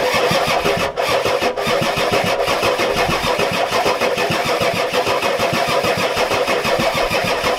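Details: Ford F-250 XLT 7.3L IDI diesel with new injectors: steady fast cranking about three beats a second with no firing; fuel reaches bleeder screw but not injectors, owner suspects weak injection pump, shutoff solenoid untested.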